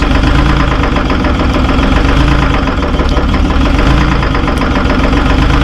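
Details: Terex 72-31 with 6V53 Detroit two-stroke diesel, first start in 20 years on 20-year-old fuel: loud, deep, rough lumpy warm-up idle with heavy smoke; owner suspects a couple of injectors hung up.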